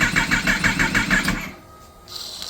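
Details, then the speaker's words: 2018 Kawasaki ZX-10R rebuild, starter fluid sprayed into three intakes: half a dozen quick firing pulses, then it dies into cranking; no-start from fuel starvation, fuel reaching the injectors but not spraying out, injectors only getting about 5 volts while cranking. "but yeah that's uh that's the issue figured it out it's not getting fuel so now I just have to figure out why"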